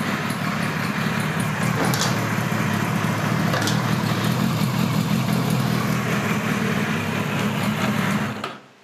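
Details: 1976 Kawasaki KZ900 A4 project bike on its first run after fueling the carbs, which was hard to start: a lumpy, uneven exhaust beat with stumbling firing pulses at low revs before dying out; rough running.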